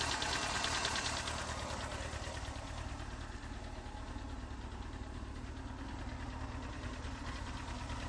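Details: Honda CBR 954RR: steady light tick about two per second over running engine, loudest near front exhaust manifold area; softer at cold start since oil change, builds as engine warms and louder with rpm when very hot; source unknown.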